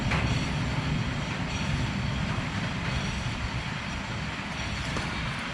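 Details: 2020 vehicle up on a lift with its rear wheel spinning freely. A steady rumbling growl with a rough, gritty clatter comes from one side, while the other rear bearing sounds normal; the worn rear wheel bearing is confirmed.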